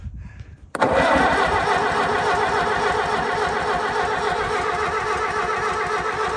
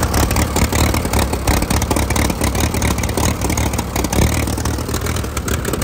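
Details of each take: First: 1952 Case DC3 tractor, parked about 15 years with a tree grown through it: old engine catches and runs rough and labouring for several seconds, dies, then stumbles back, with the tree holding the exhaust rain cap shut. Hard starting, blocked exhaust. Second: 1952 Case DC3 tractor after 15 years parked, shortly after its first restart: chugs steady and even at fast idle with no misses or knocks. It is now running fairly well.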